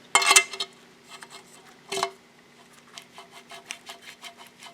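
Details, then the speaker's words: Yamaha WR426F water pump bearing, old bearing turned by hand during rebuild: dry, gritty crunch with scattered rasping ticks showing a worn, rough bearing; replaced along with the shaft and seals. "you get the old bearing out it feels a little if you can hear that it's a little crunchy"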